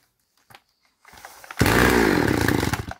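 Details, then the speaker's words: Chinese chainsaw during carburetor adjustment: barks to life, buzzes roughly about a second, then cuts out dead; idle speed set too low, to be raised with the idle screw and retried. "Видите, заглохло. Сейчас поддобавим немного на холостых и попробуем"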